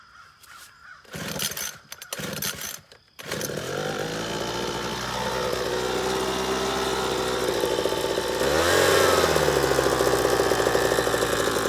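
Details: Small two-stroke leaf blower starts after a few pulls, revs up, then runs with a rough, rattly buzz, rattling and vibrating while running.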